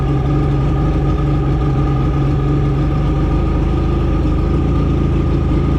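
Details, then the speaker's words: 1985 Mercury outboard after carb rebuild: steady low, fairly even idle with no pickup as the fuel-air mixture screws are turned fully in, leaning it until it chokes off and stalls; set back to a turn and a half. "Alright, so I went all the way in. You can see it choke the engine off, so I'm just going to fire it back up."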